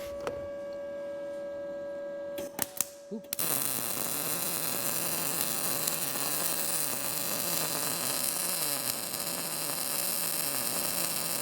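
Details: Arccaptain MIG200 inverter MIG welder turned back down to 19 V, synergic mode setting amperage and wire speed automatically, drag technique; after a few taps, a steady, even frying crackle with no pops; result judged not bad.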